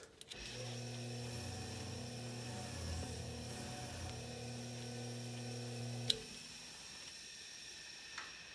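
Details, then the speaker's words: Superlectric box fan motor, bearings reworked with 320 grit sandpaper, first start without blades; steady low hum with a soft shushing hiss, still a lot of noise, source not pinned down, may still need work. "let's see what it does well we got some spin there that'd be hi medium-low as you guess it's here still got a lot of noise"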